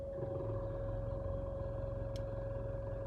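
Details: 2014 Nissan Altima idling in gear: low buzzy rattle over a steady hum, apparently from the passenger side; compared with the car in park.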